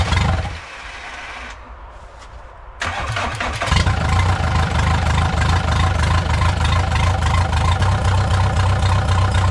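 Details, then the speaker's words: VW 1.9 mechanical SDI diesel in a home-built mini loader, first start, not fully cold (stored in garage), on a borrowed battery; cranks briefly, catches and settles into a steady, even idle with a low rhythmic diesel knock; starts and idles normally. "First start, it's not really cold. It was in the garage. Let's see."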